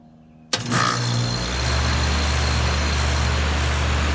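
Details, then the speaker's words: 2004 4-ton Lennox Elite series central air conditioner with Copeland Scroll compressor, startup; quiet then firm start into smooth steady hum with fan noise, no knocks or rattles, healthy compressor startup. "so I'm gonna do a startup and shutdown of my grandparents' Lennox Elite series central air conditioner. There's a Cope and Squirrel compressor."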